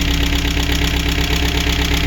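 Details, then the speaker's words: Chevrolet Aveo 1.5 8-valve after cylinder head repair, fully warmed up, idling: quick, even tinny rattle on the beat, from the loose exhaust muffler can itself, not the exhaust pipe. "То у нас деренчав не вихлоп сечение, а сам сама банка. Отак він працює."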